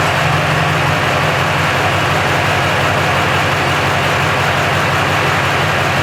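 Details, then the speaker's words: 2002 Silverado 3500 dually V8 after upgrading the 105 amp alternator to a 130 amp unit: an even, steady idle with no squeal or chirp from the belts. Normal idle. "okay so everything sounds good I guess I'm going to end the video guys"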